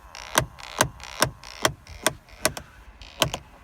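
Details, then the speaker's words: 2003 GMC Envoy XL, rear passenger quarter panel interior: sharp, steady clicks about twice a second from a stuck, skipping HVAC blend door actuator. "Oh, my clicking noise is coming from right in here. I don't know if you can see in there, but there's a little actuator right inside there."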